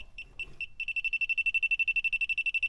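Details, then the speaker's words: A/C leak detector sniffer: a few separate high beeps, then a fast steady run of about ten beeps a second as it finds a layer of refrigerant; leak narrowed to expansion valve or evaporator. "we have leakage here oh yeah oh yeah there is a layer of refrigerant there so thank God I narrowed it down it is either expansion valve or the evaporator"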